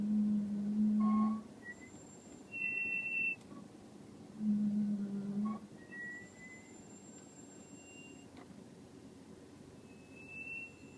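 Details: 2005 Audi S4 Avant with new DBA 4000 T3 rotors and Hawk HP+ pads, bedded in twice, fronts bled twice: loud honking squeals with a dragging, humming vibration between them.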